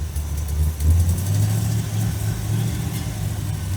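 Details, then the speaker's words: Carbureted engine idling at about 1200 RPM. When carb cleaner is sprayed into the carb, the deep idle swells and stays higher, pointing to a lean condition or vacuum leak (suspected). "I'm gonna spray carb cleaner down in the carb. It'll rev up, indicating we have a lean condition or vacuum leak."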